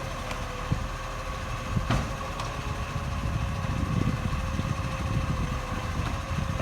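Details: Acco garbage truck #2538 with a diesel engine: a loud, raspy idle with a harsh chuffing edge over the rumble, caused by an exhaust leak.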